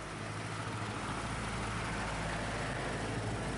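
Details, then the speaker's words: Opel Corsa petrol with brake pedal sinking even engine off: steady idle rumble with no hunting or hiss; engine note does not change when the brake servo vacuum hose is checked, idle normal. "شفتوه صوت المحرك ما يتغيرش لان لان السيرفو لان السفو يتنفس صوت المحرك ما يتغيرش"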